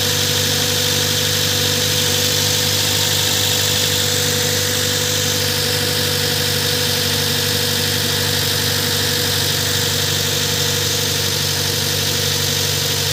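Steady, even idle with a smooth low hum and no knocks, misses or squeals; engine running healthy.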